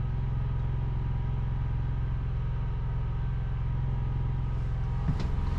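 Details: Portable generator beside an RV trailer, no load, heard from the front bedroom: low, smooth, even hum with no surging or hunting, faint through the trailer wall; idling normally.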